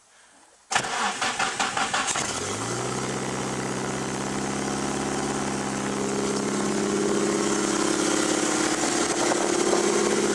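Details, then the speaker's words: Mazda FB RX-7 with SR20DET swap and aftermarket wiring harness, after sitting months under snow: brief even cranking, catches within a second, then a smooth steady idle that climbs slightly. Starts right up every time, healthy. "starts right up every time thanks to that wearing specialties harness that thing's awesome"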